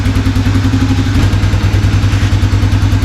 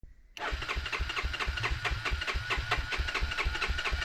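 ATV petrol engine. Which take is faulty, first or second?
second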